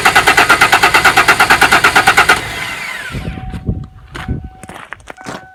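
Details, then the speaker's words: Long-dormant 1994 Ford Ranger in neutral, fuel line rerouted to the fuel filter with the fuel pump running: quick, even cranking at about three beats a second for two seconds, then it stops without firing. Cranks, no start. "We'll see if I can't convince this thing to crank with a key. Solenoid just keeps clicking."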